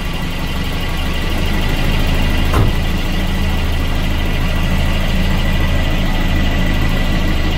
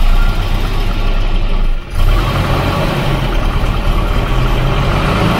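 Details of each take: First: Volvo 240 with Redblock B230 engine (the quiet motor, for comparison): steady, even low idle with no knocks or misses, smooth as a sewing machine; normal healthy idle. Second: Volvo 240 Redblock B230 engine (the noisy motor) at idle: hollow rhythmic slapping knock under the exhaust note, too loud, slaps like that no matter the temperature; piston slap.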